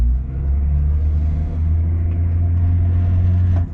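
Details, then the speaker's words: Range Rover P38 after gearbox filter and oil change for no-power fault, driving laps of car park: deep steady drone firm under throttle, no flare or slip, noticeably better pickup. "definitely got a bit of pickup now definitely got a bit of pickup"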